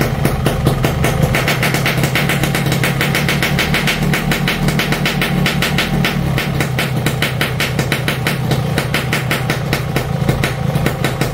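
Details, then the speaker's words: Yamaha RX King two-stroke after loose magneto (flywheel magnet) re-riveted; previously wobbled slightly and sounded rough: quick, even crackle at steady idle, no wobble or rattle; normal idle after repair. "n teman-teman sudahah dengar ya suaranya beda jauh ya sama yang kemarin magnetnya goyang walaupun cuma sedikit"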